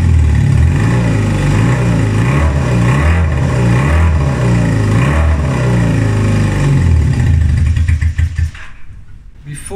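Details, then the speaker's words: 1978 Honda CB250T twin, previously barely starting and sputtering, falling flat on throttle: now pulls cleanly through repeated rising and falling revs with a strong low beat, no stumble or bogging; running properly. "this it didn't even want to start and when I hit the trolley would just like fall flat on its face you will hear it like sputtering but now I'm able to get it from revs"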